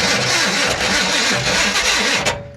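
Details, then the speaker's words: Mike's Maserati with original ignition cranks after a rest, catches and runs rough for a couple of seconds, then stalls and won't keep running; starter is suspected to need replacing or shimming. "dang it man she runs guys she runs it's just keeping it running come on okay enough playing around obviously she's not wanting to stay running"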